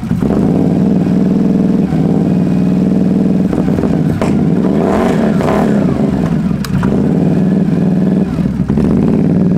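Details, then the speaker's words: Can-Am Renegade ATV with many issues, idling after start in neutral: loud, uneven idle that stumbles and surges, needing throttle blips to keep running; possible blue smoke, rings suspected but unconfirmed; rough running engine. "Thought I saw blue smoke. It doesn't run very good. I didn't say it ran good."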